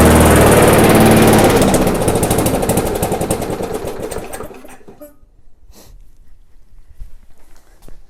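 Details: Abandoned MTD/Yard Machines non-self-propelled walk-behind mower, after screw adjustment and air cleaner refitted: runs loud, then fades, sputters and dies over a few seconds; engine judged good, governor arm blamed for the run issues.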